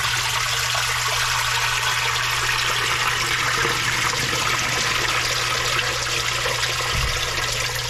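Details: Commercial sewage ejector pump after repair, rotted galvanized pipe replaced with PVC and Fernco couplings: water swirls and drains over a steady, even low motor hum; normal float-triggered cycle.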